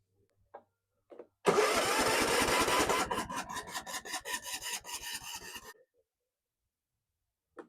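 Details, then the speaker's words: Tecumseh 17.5hp Yardworks ride-on mower: a harsh grind as the starter engages, then cranking slows from about four strokes a second and dies; the starter is failing. A bad fuel pump is also suspected for the no-start. "Starter is not happy. Starting to slow down on us."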